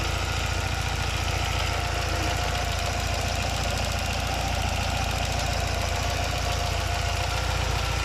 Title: Engine sound. Grinding noise alfa 75 1.8 ie indy